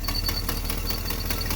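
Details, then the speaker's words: 1980 GMC truck V8, first start on new MSD HEI distributor before timing set: loud idle with steady pulsing plus a faint thin high whistle coming and going; owner suspects the aging alternator. "Yeah, it looks like that alternator is getting a little long in the teeth. She makes a little noise."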